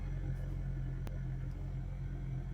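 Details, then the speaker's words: Renault Duster 2023, 44,000 km, direct injection, heard from the cabin at idle with A/C off: steady low droning hum suspected to come from the high-pressure fuel pump. "O carro com barulho. Posso ser que o seu carro esteja fazendo esse barulho."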